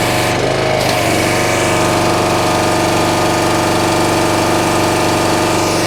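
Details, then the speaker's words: North Star 3000 psi pressure washer, Honda engine, resealed CAT 5DX40G pump with new valves: loud steady drone, even pump pulsing, constant spray hiss, no surging; prior vibration and low pressure fixed, runs smoothly. "pulls the unloader well that feels really good feel that whole thing in it like I did before"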